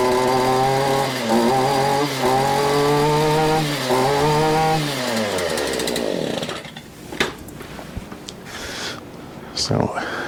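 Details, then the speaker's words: Cold two-stroke weed eater just started on full choke after priming; revs climb and sag a few times, then pitch slides down and it bogs and dies; cold engine bogging, possibly fuel but most likely cold. "this point you need to let these warm up if you don't want to warm up they're going to bug which is what you saw fogging is not good it means it's uh could be a fuel problem but majority time it's because it's cold"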